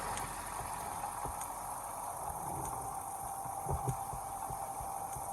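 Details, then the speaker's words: Sawmill edger upgraded to tractor PTO drive through a large pulley, a pair of belts and a slip clutch, tractor outside: a steady quiet hum with a light click about once a second from the belt lacing passing round. "A little clicking sound, I don't know if you can hear it, but it's one of the lacing in that belt that's coming around."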